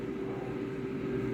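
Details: Jaipan digital air fryer at 200 degrees with a 5-minute timer, fan running continually with a steady airy whoosh and mid hum and no rattles or scraping; the relay cycles the heater, normal.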